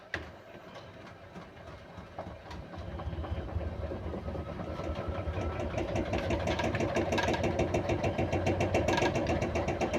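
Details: Beko WMY81283LMB2 washing machine in service mode, spin building into a heavy, extremely unbalanced rumble with rapid regular clicking throughout.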